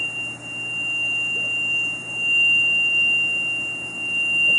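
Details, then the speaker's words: Electronic throttle body whistle: steady high thin whistle at one pitch over low hum with engine off; initially mystifying, believed to be the electronic throttle body, which sometimes makes such a racket. "I was mystified by this noise, but I believe, in all honesty, and some of you guys probably already know this, that what it turned out to be was the throttle body. The electronic throttle body sometimes will make a racket like that."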